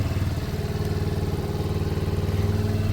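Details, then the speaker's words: Lexmoto Michigan motorcycle after carb swap, fresh MOT with no advisories, exhaust sound: steady, even single-cylinder idle, about four low thumps a second, no knocks or misses; runs great, nothing wrong. "it runs great it's got a year mot no advisor and there's just nothing wrong with it exhaust is spot on"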